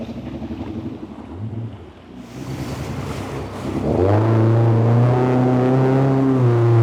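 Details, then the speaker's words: Yamaha GP1800R SVHO jet ski, 1.8 L four-cylinder compound turbo and supercharger on FuelTech FT600, on water at high revs: strong engine note with slightly uneven wavering pulse; misfire that seems to be on one cylinder, plugs fine, injector suspected, unconfirmed. "E aí, Aí tá falhando, mas sim, parece de longe dá para ouvir assim um cilindro."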